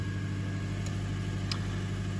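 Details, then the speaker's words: Skoda Superb after EGR valve replacement, in neutral during the scan-tool EGR reset and basic-setting adaptation: engine revs rise to about 2,000 rpm with a steady, even hum, no hunting or misfire; normal raised idle while relearning. "we're going to continue after she's gone her engine revs are going up a slight little bit you can see we our 2,000 RPM"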